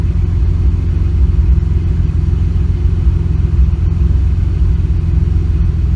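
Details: Engine with a slight misfire that started after a nitrous backfire: low idle rumble with a slightly uneven beat and an occasional stumble in the firing.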